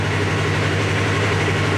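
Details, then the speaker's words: 2017 Polaris RZR XP 4 1000 just fitted with a new Alba Racing ECU after limp mode with coolant and speed sensor codes: starts right up to a smooth, steady normal idle, cooling fan not running. Check engine light and front drive fault remain. "good news well the fans didn't kick on that's good started right up that's good"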